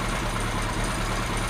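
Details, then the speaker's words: Kawasaki Z1 with four carbs, run up on a test tank after resetting slide gaps with a drill bit and vacuum-syncing on new gauges: steady, even low idle with no hunting, ticking over much better after adjusting air mixtures on all four carbs. "it's ticking over so much better since I adjusted the air mixtures on all four carbs"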